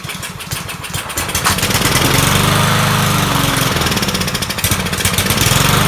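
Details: Troy-Bilt 21-inch self-propelled mower salvaged from the dump, owner thinks it has a Kohler engine: the small single-cylinder engine chugs unevenly with a wavering beat of about three to four pulses a second. It runs rough, and the carburetor definitely needs cleaning.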